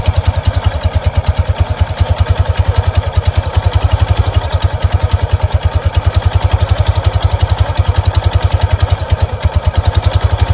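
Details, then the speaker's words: Kawasaki Prairie 300, after removing the belt cover and finding a snake inside (owner suspects it caused the noise): steady, even single-cylinder thumping at idle, about six beats a second, no scraping or rubbing from belt drive; normal idle. "Well, that noise has gone away since I took the cover off. I wonder if it was because of that snake."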